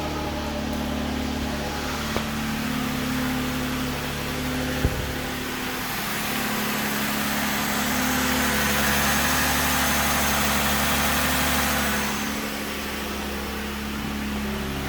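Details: 3.6 Pentastar V6 cold start with the drive belt removed: a steady hollow knock about four times a second at idle. Suspected piston slap, not confirmed.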